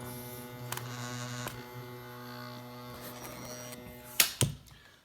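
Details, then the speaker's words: Crosley BC-654A receiver fed 12 V through its power connector, PE-104A vibrator power supply buzzing steadily with dense overtones, after adding 10 µF capacitors to cut the 84 V B+ ripple; normal vibrator buzz. "I don't have the transmitter working yet and you can hear the vibrating power supply album"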